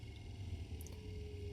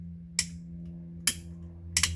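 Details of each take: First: 50-year-old MK1 Ford Escort panelvan, off the road 30 years, electricals revived, heater fan switched to low: quiet steady low hum with faint even whir, no rattle or scrape; blower running smoothly on low. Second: 50-year-old MK1 Ford Escort panelvan, off the road 30 years, electricals being revived: steady low motor drone with uneven clacks about every half second as windscreen wipers drag slowly; struggling wiper motor, owner suspects nearly dead battery.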